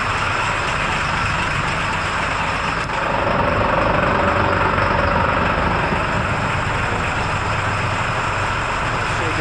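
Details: International WorkStar diesel running poorly at about 500 rpm with scan tool showing 99.5% engine load. It won't rev and has a low, labored, lugging idle with a choked, muffled exhaust and almost no exhaust flow. Cause: exhaust brake stuck on.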